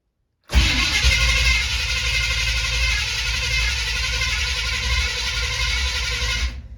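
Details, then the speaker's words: 1970 Chevy C20 with new fuel pump, choke not hooked up: steady fast cranking with even starter churn, no firing, oil pressure coming up; no fuel in it yet so won't start. "i kind of expected it to take a while there's not no fuel in it"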